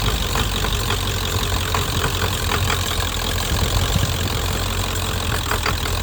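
Rough diesel idle with an uneven, stumbling clatter and irregular missed beats in the rhythm, pointing to a misfire at idle.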